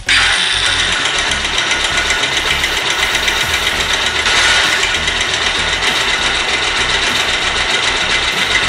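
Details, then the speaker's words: Bajaj Pulsar motorcycle at idle: fast, light metallic ticking (about four per second) over a thin buzzy idle; loose valve tappet clearance. "जैसा कि सुना आपने इसमें kit kit kit kit kit की आवाज आ रही है"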